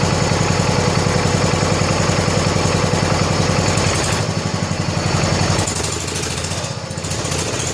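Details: 1970 John Deere 140 H3 garden tractor single-cylinder after head gasket replacement (old gasket leaked severely): steady even putt-putt, regular firing with no knock or miss, quiet, burning off some oil; normal idle.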